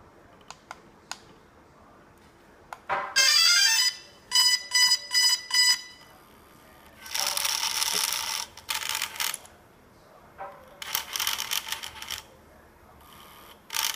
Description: After power up the gimbal makes this crazy noise and just keeps going.